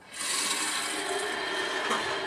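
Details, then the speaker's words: 16-year-old GE water heater, refilling after anode rod replacement with about 70 psi supply pressure: soft, steady hiss of water rushing into the tank with no banging or gurgling; normal refill, no leaks found. "You can hear the water rushing in there."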